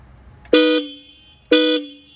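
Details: Triumph Street Triple after installing Hella high/low dual-tone twin horns: two strong, clean blasts of about a quarter second each with low and high notes together; twin horn works properly.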